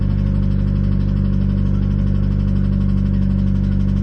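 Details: Mitsubishi Evo X 4B11 turbo engine after running low on oil, now refilled and low on fuel, at idle: loud regular knock about three times a second over deep engine note, worse than before despite more oil.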